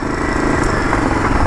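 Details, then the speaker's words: Yamaha Virago XV920 café racer V-twin, first ride after rework: very loud, lumpy burble with occasional sharp exhaust pops, frequent backfiring; owner also hears a clicking noise and says the carbs need syncing. "but man, it's fucking loud."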